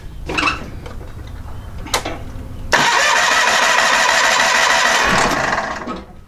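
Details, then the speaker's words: John Deere 318 garden tractor, Onan P218G engine, after cleaning the carburetor and freeing a stuck-closed needle valve; hand-choked because the choke isn't hooked up, a few cranking bursts then it catches and runs evenly before winding down. "I hand choked it because I don't have the choke hooked up right yet I hand choked it to get it run"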